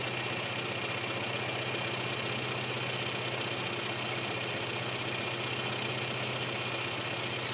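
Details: Classic Mini petrol engine idling at about 1,000 RPM after being leaned out from a rich mixture, idle picked up: steady, even tick-over with no misfires or hunting.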